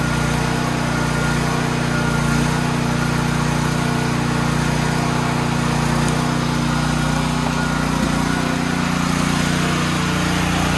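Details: Troy-Bilt XP generator during service, started on a full tank with the fuel valve on: small engine runs with a smooth, even drone at steady speed, no misses or surging; normal, healthy running.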